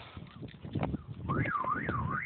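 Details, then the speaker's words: DEI 515R backup siren, about 20 days old, on a Viper alarm in a 2000 Honda Accord, as the alarm disengages: feeble warbling chirp about twice a second. Siren is failing; it is the second siren fitted. "Did you hear it dying? Yep. I'm getting irritated with this thing. Yep, it's dying."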